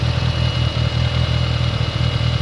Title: Dsm Rod Knock